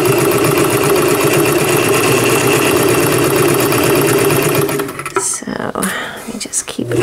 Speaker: just to warn you the motor on Pearl it's got this plastic shaft that is really noisy it works but it's really noisy so just ignore that noise